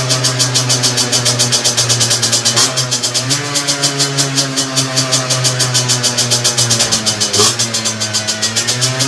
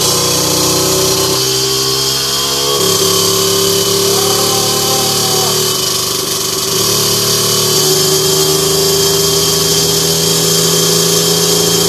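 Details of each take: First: Two-stroke moped with 17.5mm carburetor on a bench, needle reset to correct position: crisp buzz picking up instantly on each throttle blip and returning on its own to a steady idle; normal idle and throttle response. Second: 17.5 mm carburettor two-stroke on a test bench, needle clip deliberately set far too rich: part-throttle buzz sounds woolly and wavers instead of crisp, though it pulls fine at heavy throttle. Rich mixture at mid-throttle.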